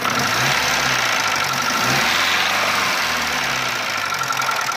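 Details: Mitsubishi 1.3 engine after engine overhaul: light quick ticking about three to four per second over steady idle, heard between cylinder head and block; cause not confirmed.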